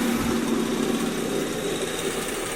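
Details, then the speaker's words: Daihatsu Zebra Espass, AC idle-up check: with the AC idle-up vacuum hose reconnected and the AC switched on, idle rises slightly and holds steady, returning to normal with the AC off. The idle-up works properly. "Kalau kita tancapkan begini, nanti RPM akan naik."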